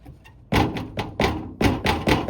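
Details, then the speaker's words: 2020 Ford Edge SEL, about 40,000 miles, flutter noise; irregular hollow plastic knocks as the underbody splash cover is pushed and slaps against the unibody frame member. "the rattling is this cover against that frame member."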